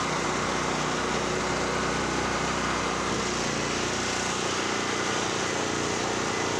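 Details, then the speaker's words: Generac GP5500 generator, formerly a no-start (brake-clean straw in the carburetor; on-off switch suspected), carrying a 1,500 W heater plus 1,270 W heat gun, checked on a kilowatt meter: steady, even buzzing run with no surging, misfire or hunting. Normal running. "So I did have a 1,500 watt heater on there and a 1,270 watt heat gun. And you could hear it loaded a little bit. Powered through."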